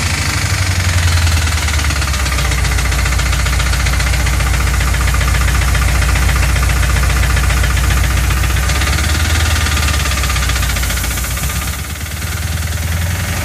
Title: Rod knock? fuel injector stuck open?